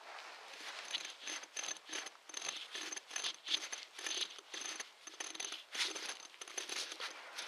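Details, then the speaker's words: Ford Expedition 4.6 with a constant squeak while running: the tensioner pulley, removed and spun by hand, gives a dry, gritty grinding about twice a second. Its bearing is worn out and needs replacing. "barring a shot that's my noise so I thought I'd just kind of take it apart"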